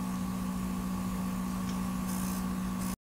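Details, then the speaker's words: PS5 recorded with a very sensitive mic at the vent slots, audio heavily amplified: constant thin whine with a low hum over steady fan hiss. Coil whine seems to rise as graphics load and the console is asked for more power. "scheint je mehr power von einer konsole verlangt wird dass spulen fiepen zu aktiviert werden"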